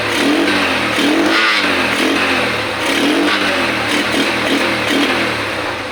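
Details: Motorcycle almost 12 years old and long stored, first start after cleaning and reinstalling the carburetor and adding fresh gasoline: engine catches and revs up and down cleanly, no misses or stumbling; normal running.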